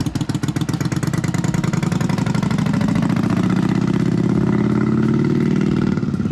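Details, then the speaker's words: Newly acquired Yamaha Virago twin, choke partly on (runs best mid-choke), spark plugs thought okay: loud lumpy pulsing at fast idle swelling slightly with revs, sounds rough and struggling; cause unconfirmed. "Yeah, it's not like ridiculously quiet, but it's not like loud mode either. Sounds like it's struggling."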